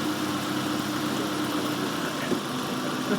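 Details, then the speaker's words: Warm four-cylinder engine at idle during a vacuum gauge lesson: steady, even idle with a faint hum under a loud hiss, no misses or stumbles, all four cylinders working, so the idle is normal. "That idle's normal. What do you guys think that's idling at?"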